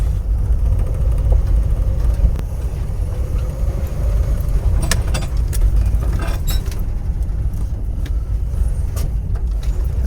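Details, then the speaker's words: International Scout revived after 18 years: bogs with more than a whisper of throttle, coughing, sputtering, popping and backfiring, smoky; owner suspects vacuum advance. "If you give her any more than that, she just immediately starts coughing and spitting and sputtering and backfiring. Now, that could very possibly be the uh the vacuum advance, but I mean, look at this. Oh, just a little backfire"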